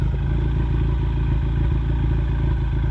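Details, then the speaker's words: Ford Mustang EcoBoost, misfire at low RPM since cold weather, Accel plugs swapped back to factory plugs: low lumpy idle about three beats a second, odd beat dropping out; misfire at idle, now milder, cylinder 1 counts reduced. "the misfire, but it's not nearly as pronounced now."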